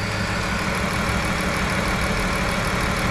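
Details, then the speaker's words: 2011 Chrysler Town & Country 3.6 L V6 after overheating from a blown heater core hose: uneven lumpy idle with irregular stumble, misfire from coolant intrusion via blown head gasket and warped cylinder head. "got a misfire"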